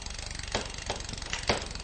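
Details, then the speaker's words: Shimano rear derailleur with the cranks turned by hand: backing off the top adjuster screw brings chattering and sharp clunks as the chain is pushed off the top sprocket and jams between the frame and the sprocket. "However, if I gradually undo the adjuster, you will hear chattering. You're starting to hear noises now. And what's happening here is that the mech is actually trying to move the chain off of the top sprocket."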